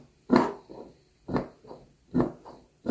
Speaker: that little squeaky sound you're free to pull your disc out keep pressure on your piston that sounds The Tight Seal of the air escaping through that bleed orifice there that little hole